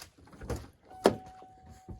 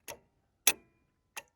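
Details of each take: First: 1994 Ford Ranger started with the idle air control valve unplugged: a few clicks, then the engine stumbles along at a weak, uneven, very low idle, barely running, and tends to start and die. Very low idle with the IAC disconnected. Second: Idle air control valve from a 1994 Ford Ranger, powered directly from battery leads off the truck: three sharp clicks about 0.6 s apart as the plunger snaps open and shut. The old valve was stuck open, causing high idle.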